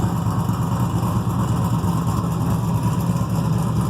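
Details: Freshly built carbureted 6.0 LS V8, mechanical fuel pump, distributor, stock crank, rods and rocker arms, 10.48:1 compression, heavier pistons, solidly frame-mounted: deep steady idle, mild even lope about three pulses a second, no knocks or misses; normal idle.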